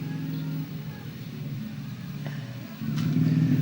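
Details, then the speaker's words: Honda Vario scooter: rough uneven growling knock about four per second over idle from the magneto side; the seal came off the magneto rotor seat and its rubber had hardened and died. "Untuk silnya itu lepas dari dudukan spool magnet ini ya. Ini lepas dan karetnya mati sehingga timbul ngorok lah, krok terus seperti itu."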